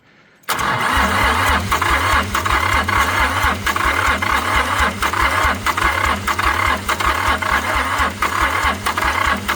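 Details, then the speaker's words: International 285 4x4 diesel tractor (title says 284), revived after sitting, cylinders previously filled with ATF: catches at once and settles into a fast even clatter with steady low beat and some rattle; runs well, white and black smoke from burning ATF. "I'd say it runs pretty good. All that white and black smoke is definitely from the ATF."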